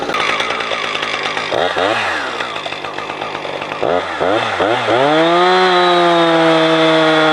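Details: Husqvarna 455 Rancher two-stroke chainsaw, warmed up, after a fuel filter change; it had choked when warm. A few blips, then climbs cleanly to a strong steady high scream without bogging; old filter found discolored.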